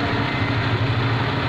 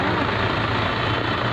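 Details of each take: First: Suzuki Liana M13 petrol engine idling with a steady, even low hum under full load (AC and headlights on) after a faulty ignition coil causing misfire and rpm fluctuation was replaced; rpm now stable, no stumbling or vibration. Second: Suzuki Liana M13 petrol engine idling parked with AC and headlights on for load; lumpy, uneven low beat with one cylinder missing and jerking, an ignition coil misfire with RPM fluctuation.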